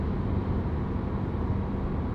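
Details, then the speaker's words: BMW E92 M3 with Corsa mufflers, recorded inside the cabin at 75 mph: smooth, low, even exhaust hum under the road noise, audible but no drone or piercing sound; normal highway cruise. "You hear it, it's there, but it's not drone. It's not that like piercing, whoa. It's not that awful sound."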